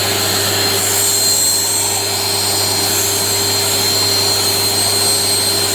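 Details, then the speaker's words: Panasonic MC-CJ911 vacuum cleaner after repair, new 2000 W motor replacing the 2100 W one: steady, even motor whine and airy rush, no grinding; the earlier noise from broken bearings and smell from worn carbon brushes are gone. "giờ không còn tiếng ồn và mùi hôi nữa , giờ nó hoạt động tốt."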